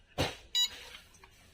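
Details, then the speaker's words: Luminous Shakti Charge 2250 inverter PCB, 24V double battery, on 24V DC bench supply: sharp high beeps about once a second from switch-on; micro's 5V regulator outputs 2.6V from 12.7V input, microcontroller swap didn't help. "On किया। देखिए beep लगातार beep कर रहा है ये। तो इसका main fault क्या है देख लीजिए।"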